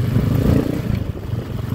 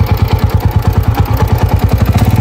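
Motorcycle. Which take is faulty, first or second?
second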